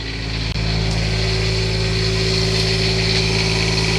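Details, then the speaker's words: "Quiet diesel" generator in an old Class A RV, just started after priming fuel for 10–15 seconds, warm-up phase: an even, constant diesel drone with no knocks, misses or surging. Normal running. "Takes probably 10, 12, 15 seconds to prime fuel and then it fires immediately. [Music] And that's why they call it a quiet diesel because it is"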